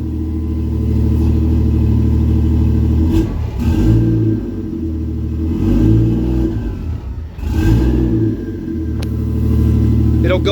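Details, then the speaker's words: 1JZ-swapped Nova at about 750 rpm idle, oil temps high 160s, 20 inches vacuum: deep steady idle, but each blip rises slightly then sags and nearly dies, loading up; AFRs too rich. "but afrs are too rich and I can't rev it if I try to rev it"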